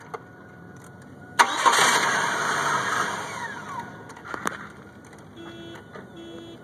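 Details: 1998 Chevy Cavalier that only starts in hot weather when the sun is out. The starter spins the engine for about 2.5 seconds, then stops without the engine catching: cranks but no start, cause unknown.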